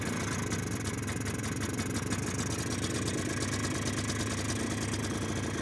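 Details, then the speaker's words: 2001 Polaris Xplorer 250 4x4 two-stroke bought cheap: idles thin, ragged and smoky only while starting fluid lasts; carburetor to be pulled. "she's only running off the starting food I put in there though so we'll probably have to definitely get in that carburetor"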